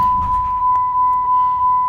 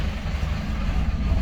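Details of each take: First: 2006 Dodge Ram 2500 Cummins 5.9 diesel, 225,000 miles, after an AFC fuel controller replacement for hard starting and stalling: chime, prompt crank and fire, then a steady diesel idle near 700 rpm (750 before). Normal start. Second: 2006 Dodge Ram 2500 Cummins 5.9 diesel, 225,000 miles, hard to start and stalls: after the wait-to-start light goes out, a deep lumpy idle sags to about 500 rpm and dies; owner suspects the fuel control actuator (AFC).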